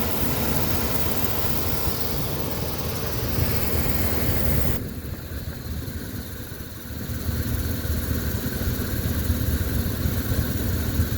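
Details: GE Genteq 5KCP39HG blower motor in an old A/C system (reportedly 1978) running with a low rumble and rapid, uneven clicking; debris cleaned and bolts tightened, owner suspects a bearing, motor later replaced, curing the noise.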